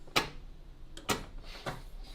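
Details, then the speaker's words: Suzuki Cappuccino, also suspected of a large vacuum leak: single dry clicks about half a second apart on turning the key, with no cranking; a dead battery. "Oh my god, what's that? Clutching? No, that sounds like dead battery."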